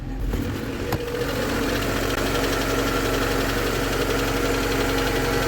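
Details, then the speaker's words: VAZ 2112 after repair with a new ignition module, new spark plugs and zero-resistance HT leads, warmed to operating temperature: catches and settles into a steady, even idle with no misses; normal idle. "двигатель вышел на рабочую температуру за время его работы слушал прислушивался никаких перебоев или же нестабильной работы двигателя я не наблюдал"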